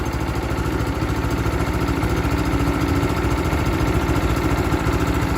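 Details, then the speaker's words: Power King PK0913DD chipper shredder, 6.5 HP Kohler RH265 gas engine, cold start on choke; choke auto-released to full throttle, then moved to idle to warm up: steady, even idle with a slight patter, no knocking or missing. Normal idle. "As you can see, when the engine was started, the choke automatically turned off and it went to full throttle. From there, I moved it over to idle to let it warm"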